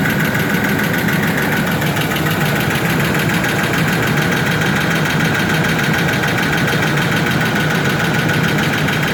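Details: Ford F-150 4.2L with an already rebuilt engine: steady idle with a fast, light tick riding over the engine drone at every turn; source of the ticking not pinned down.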